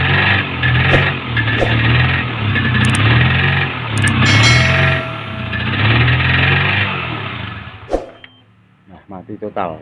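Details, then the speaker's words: Honda CBR150R that sputters, misfires and stalls; it runs only while the throttle is held and dies off throttle. Apparently weak ignition to the spark plug, traced to a faulty ECU. "Motor hanya bisa menyala jika saya menahan tuas gas, barulah motor bisa hidup. Jadi, dari kejadian ini, tampaknya sistem pengapiannya terlalu lemah."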